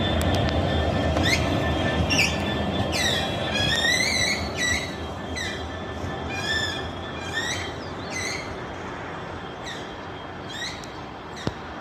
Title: 66727 "maritime one" passing though Millbrook with a weird squeaky noise